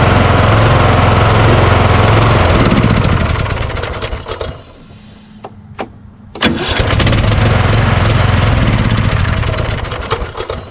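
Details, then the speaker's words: Craftsman YS4500 lawn tractor repowered with a Kohler Courage engine, about 36°F cold morning: engine runs steadily, drops to a few starter clicks, then catches and runs again; starter hangs on the compression stroke despite double shims added to the starter mount. "it's really the compression stroke once it moves past the compression stroke if it can that's a problem man it's a compression stroke that's too high always once you get it there"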